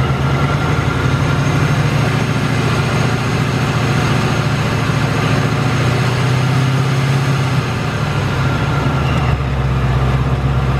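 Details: 2018 Ford Mustang GT Coyote V8 idling: loud deep idle with fast metallic ticking and light rattle from the engine. Tick came back within the last two weeks, louder than ever; cause not pinned down, owner says not direct injection.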